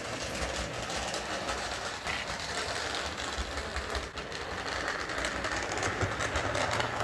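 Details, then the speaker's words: Hornby R859 LMS Black 5 model locomotive, eBay non-runner after oiling, running on layout: uneven, lumpy running with loose intermittent rattling; front bogie wheels not spinning properly, drawbar linkage to tender suspected. Finding: front bogie dragging rattle. "Okay, it sounds like the front bogey's dragging. I don't think the wheels are spinning properly, so I'm getting that rattling sound, and it's a little bit lumpy running."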